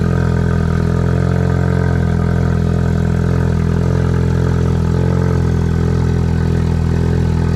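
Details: Ford Focus RS/ST, idling after installing a Radium high-flow fuel filter, pump primed and no leaks found: smooth, settled idle with a steady low hum and no stumble, hiss or tapping; normal idle.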